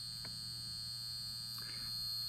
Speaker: you can hear 9120 humming over here and the Great Ghost Kansas City Southern 2001 is also buzzing why because the tracks are set to DCC